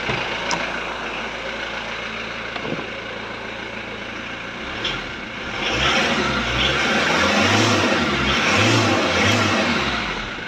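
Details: VW Transporter T4 1.9 TD diesel at first fire after reassembly, with cam followers replaced to cure a rattle: steady, even idle with no rattle or tapping over some outside background; sounds healthy.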